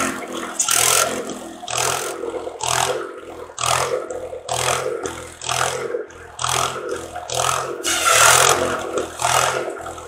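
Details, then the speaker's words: Antique buzz saw rig powered by a Wisconsin THD engine, after clearing a mouse nest to restore cylinder cooling airflow: steady low thump holding speed as the saw cuts slab wood about once a second; runs normally under load. "well i'd say that was a successful test run and uh of the thd wisconsin um wisconsins are great little motors very uneconomical they burn a lot of fuel but they're a great motor run run forever if you take care of them"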